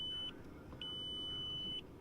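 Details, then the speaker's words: Volkswagen Jetta with red brake warning light flashing: high electronic beeps, short then longer about a second apart, in a quiet cabin when trying to move; owner concludes brake fluid is low. "so the main problem consists of this red brake light that is flashing that led me to the conclusion of something is definitely not right if you decide to move and this noise comes on"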